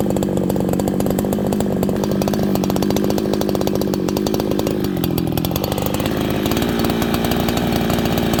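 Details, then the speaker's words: Freshly built, not broken-in Farmertec 288 (90cc) kit chainsaw, end of first tank, cutting green ash: crisp, even high-revving two-stroke buzz with no misfire or bogging. Runs strong and healthy. "So far, this runs, idles, starts like a 288, like a really minty 288 to me."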